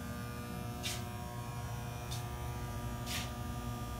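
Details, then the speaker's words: Shop transformer running: loud, steady electrical hum/buzz from electromagnetic vibration of windings and structure at 60 Hz, felt by hand; aged unit, normal and not a fault. "所以，如果一个变压器它有一些 humming， 就是嗡嗡的声音，这本身是正常的，没有什么问题。"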